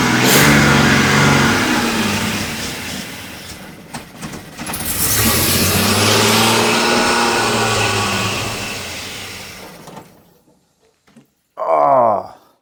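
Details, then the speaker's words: Jaguar XJC, cold first start after rebuilt cylinder head installation: engine surges and sags, revs wander, dies and briefly refires; rough idle, owner suspects cold-start carb set a little too lean. "now that's a success not running perfectly but for the first a I have here it's set a little bit too lean for this engine to seem"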